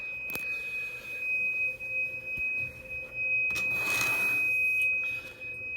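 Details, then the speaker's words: Drake TR4 on 40 meters with a long wire antenna: steady high-pitched heterodyne whistle over faint receiver hiss, shifting as RF tune moves; gone when antenna removed, oscillation suspected antenna-related, a tube already replaced, cause unconfirmed. "so if i go to 40 meters here and give it some volume you can hear the little heterodyne"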